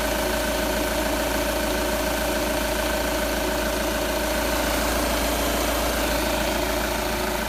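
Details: Audi A4 8K 2.0 TDI diesel at idle: pronounced clatter with a constant mid-pitched drone. The owner wonders whether it is too loud, but no specific fault stands out.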